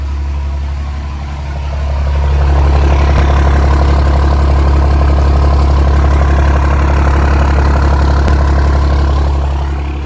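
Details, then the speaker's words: Second-gen Mega Cab swapped with 6.7 Cummins diesel, first fire, full 5-inch exhaust: deep steady rumble at idle with an even beat, no knocks or misses; engine idling smoothly. "She's purring like a kitten."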